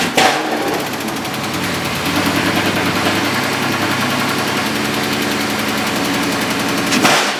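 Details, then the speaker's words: Dodge Scat Pack V8 idling with a loud rapid sharp ticking knock; collapsed lifter on cylinder 4, which had a misfire, dropped down and lets the pushrod move. "That lifter dropped down, causing all that knock he hears. When the car's on, you hear that knock?"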